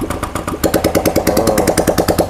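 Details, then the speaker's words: Honda Vario 125 after camshaft replacement and full engine rebuild, first test start: crisp even idle about nine pulses a second, no knocks or rattles, now smooth compared with before. "Oke teman-teman akhirnya mulus ya suaranya enggak berisik kayak waktu kemarin waktu pas ditodong sekarang mah udah halus"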